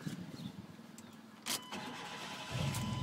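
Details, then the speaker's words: Chevy truck after breakdown repair, final test start: starter cranks briefly, then the engine catches cleanly and settles into a steady, even idle; repair verified. "yeah baby okay repair fixed uh the the repair has been fixed now"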